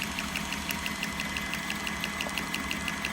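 Steady sharp ticking about once per revolution over an even running hum; the valve-damaged compressor is knocking on every stroke.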